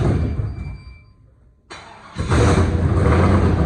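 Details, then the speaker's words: Gen 3 5.3 V8 from an 01 Silverado, ported and polished 862 heads, 550 springs, Summit stage 7 cam: quiet, short crank, then fires into a loud choppy cam lope; normal start-up with performance camshaft. "And I'm gonna start this up there in a little bit. You're gonna hear that cam."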